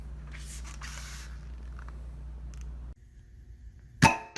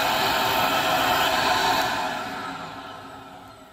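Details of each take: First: Pulse-Bac vacuum, compared against PulseRam: sharp clacks, mostly in quick pairs every few seconds over a quiet hum. The pulse-valve solenoids are weak and the solenoid bodies move as the valves close, losing snap; the valves bounce. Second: PulseRam self-cleaning vacuum for tile and flooring removal, with sound-deadening chamber in head shroud; smooth even airy motor rush, no rattles or surging, tapering off at the end: healthy normal running.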